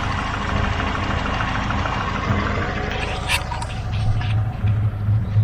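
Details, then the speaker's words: Chevrolet Aveo T250 with an added gas (LPG) system, engine nearly warm, idling on petrol: a lumpy, uneven, shaking idle (misfire) that runs smoothly on gas. No fault codes stored; one injector is getting no signal. "так його по потрушує так двигун вже майже прогрітий але ось така у нього робота"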